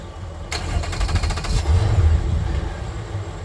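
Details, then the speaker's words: Twin Mercury engines on a Boston Whaler, started after codes were cleared: short crank, then the engine catches and settles into a steady, even low idle with no misses or stumbles; that one sounds normal. "that one sounds normal"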